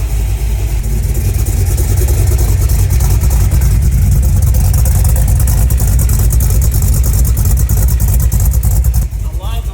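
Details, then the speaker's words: Project car idling on new $120 DIY exhaust system with ram air intake, just after starting following a month-long build: deep loud steady rumble with even lope, no misses or knocks; healthy idle, timing good. "it sounds oh man the that got a h just sitting there idling it sounds so different"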